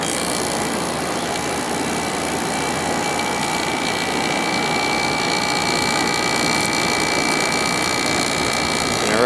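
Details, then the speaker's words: 2003 GE 12,400 BTU Samsung-made air conditioner after cleaning, compressor just started and already getting warm: steady, even hum with constant fan rush and no rattles or labouring; the compressor runs smoothly. "It seems to run nice and smooth. That's already getting warm."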